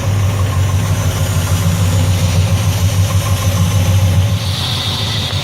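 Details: 1974 Nova 454 big-block (7.4L) V8 with Edelbrock Performer intake, over 37,000 miles, after a cold start with 55 psi cold oil pressure: deep, steady, even idle with no knocks or misses; healthy.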